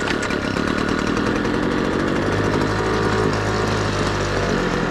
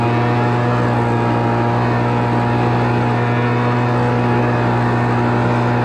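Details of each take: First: Homelite Mighty Lite 26 BP backpack leaf blower after carburetor replacement, running 50:1 mix at half choke: steady, loud two-stroke buzz holds an even pitch with no stumbling or surging; normal running before high/low carb adjustment. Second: Homelite Mighty Lite 26BP two-stroke backpack blower after carburetor replacement and adjustment, already warmed up: loud steady high buzz, unwavering pitch, no surging or sputter; running normally.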